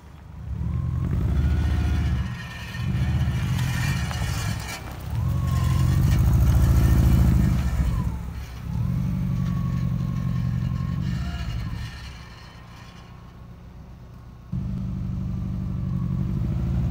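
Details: VW Vanagon Syncro drivetrain: light metallic rattle and scrape at wheel speed on tight right turns, caused by the front left brake dust shield touching the disc; bending it away stopped the rattle.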